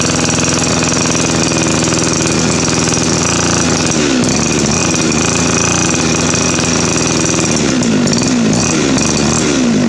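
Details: Two-stroke weed trimmer that ran rough then wouldn't start despite fuel and spark, after its clogged exhaust was burned clean on a stove: loud busy buzz holding an even pace, no stumbling or cutting out; runs properly.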